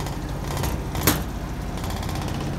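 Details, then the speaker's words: 2005/2006 Maytag Neptune washer at maximum spin speed: loud steady low rumble with rattling thumps as the machine vibrates hard and noisily; cause not pinned down. "the washer is vibrating a lot noisy vibration"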